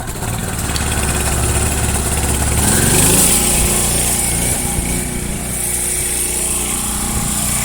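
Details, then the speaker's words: Washer making a grinding noise, tested on agitate: the motor hums and winds up with a rattly chatter, but the drum never moves. The motor coupling is broken and needs replacing; the transmission looks good with no oil leaks. "all right nothing let's try agitate all right i know what's wrong the coupling is broke she needs a new coupling"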